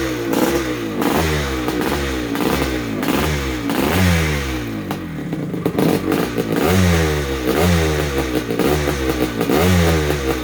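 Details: 1973 Yamaha MX250 two-stroke, first start-up after a rebuild: it fires and rings out crisply, revving up and dropping back in repeated blips with a clean crackle; normal, healthy running.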